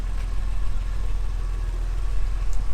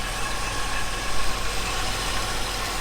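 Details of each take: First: 1978 Jaguar XJ6 Series 2 barn find after bleeding cooling system and running heaters: smooth, steady idle about 800 rpm with even beat, no ticking or stumbling, temperature gauge sitting nicely; running well. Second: 1978 Jaguar XJ6 Series 2 barn find, warmed up, idling about 800 rpm: thin metallic whirring with light tapping rattle at the front; owner wonders about the water pump, cause unconfirmed.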